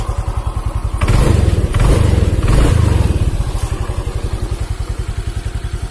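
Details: Automatic scooter, fuel injected, after repair of damage from running out of oil, with idle reset done manually: a couple of blips, then a steady, low thumping idle at about three and a half beats per second; normal idle.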